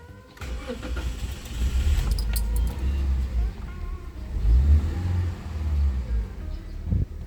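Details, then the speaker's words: 2019 Toyota Avanza, first start right after tune-up and spark plug install: heavy cranking, possibly because the combustion chamber is still wet, then it catches to an even low idle with no stumbling or limping; P0304 misfire code not yet cleared. "Jadi kita belum ngapa-ngapain setelah cune up pasang busi kita langsung [Musik] hidupin ini enggak ada sensasi berebet enggak ada sensasi pincang"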